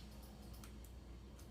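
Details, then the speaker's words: 2002 Honda Magna VF750C turn signal switch after lithium grease: light, crisp clicks as signal is cancelled, each clean and positive with little effort; cancel detent now works properly, previously needed hard pressing. "Left. Cancel. I'm not really putting much effort into it. You hear the click,"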